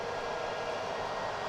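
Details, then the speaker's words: HP Z440 workstation on the bench, Xeon E5-2686, 32 GB RAM, R9 280 graphics, liquid cooler: steady, even airy roar with no rise or fall; fans at full speed because rear and front chassis fans are not detected. "that power supply sounds like it is about ready to just launch out of here and I ain't a kidding"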